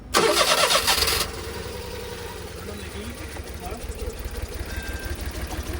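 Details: 25-year-old kei van that seemed to be overheating though radiator looked normal, lots of water blowing out; harsh cranking catches then lumpy uneven idle with low thumps; owner suspects blown head gasket, unconfirmed.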